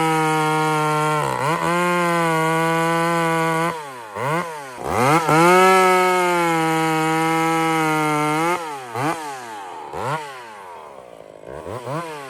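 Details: Chainsaw running: revs up clean, holds a steady high howl, drops back and picks up crisply; runs smooth and healthy.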